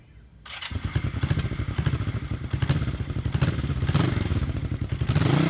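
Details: 1973 Honda CB350G twin, 4404 believed-original miles, engine cold and not yet started that day: catches quickly and settles into a steady, even pulsing idle of about six beats a second, smooth and healthy.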